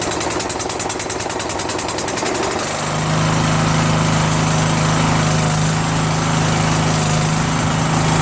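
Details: Troy-Bilt Pony lawn tractor that had sat for a while, started on choke for a buyer: cranks and catches, then settles into an even, steady single-cylinder drone; runs normally.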